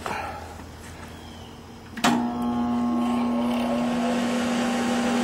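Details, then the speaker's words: Craftsman dual-range 35–230 amp variable stick welder switching on: a sharp thump, then a steady low hum that holds evenly. It starts and runs normally. "that's the welder starting up."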